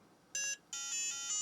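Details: Book8088 modern 8088 IBM PC compatible laptop at power-on: short high beep, pause, longer warbling beep; boots only intermittently, suspected flaky 1995 Harris bus controller IC, responds to pressure on board.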